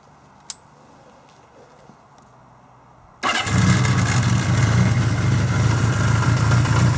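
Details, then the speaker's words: 1975 Honda CB550 four-cylinder starting: quiet, then catches cleanly at once and settles into a steady, even idle; runs really good, healthy. "This runs really good."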